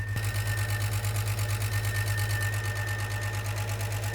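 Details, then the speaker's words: Jeep with a 350 after a camshaft sensor fix, one of its first runs, oil not changed: steady idle with a light, even tick about three per second from the top end. It needs a muffler; the cause of the tick is unknown. "Huh. It's not really knocking, it's ticking. What is that?"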